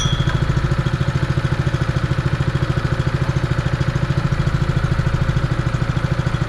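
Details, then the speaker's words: Honda fire pump single-cylinder petrol engine, sat over two years, still cold after repair: idles quietly and smoothly with an even steady beat around 160 a minute, no knocks or misses; sounds healthy. "It's a really nice quiet little motor. Obviously it's an idle speed at the moment."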